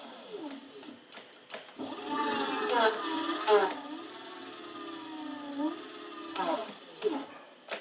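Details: H-1 Pro Series Ace R450 electric scooter after caliper alignment (bolts loosened, caliper recentred over misaligned rotor): motor hum rises and falls with wheel speed, and when the brake is applied there is no rubbing or squeal; normal disc brake operation.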